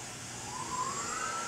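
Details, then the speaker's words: Tormach PCNC mill milling aluminum with a new HSM post processor: a whine climbs steadily in pitch over under two seconds as the spindle spins back up; the program stops and restarts the spindle between moves instead of fully retracting. "but what I want to fix or change I don't like it um starting and stopping the spindle like"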